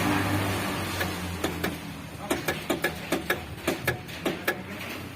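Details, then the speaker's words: Mitsubishi L300 diesel that won't start: a quick series of sharp clicks from the relay area, roughly three or four a second, and the starter never cranks. Cause not yet confirmed. "Terdengar suara klik dari area relai."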